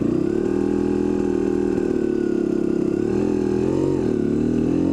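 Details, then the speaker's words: KDX250 two-stroke, not yet fully warm, running on Maxima 927 premix at 42:1, lugging hard in low gear with clutch slip and front brake dragging: a steady buzzy note, then it winds up cleanly; healthy running. "and it still winds up which is the crazy thing that's what's really crazy about this thing is that still it wraps up too now it's not fully warm yet"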